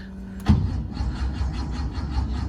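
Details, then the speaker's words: 50-year-old air-cooled Porsche 911, unused for about six months, with only a charged battery and some throttle: starter turns the engine over in a low, even chug but it never fires. Cranks but won't start. "Oof, not sounding too good. I'm going to try a little trick that often seems to work with these old cars. This Porsche has not moved for a long time."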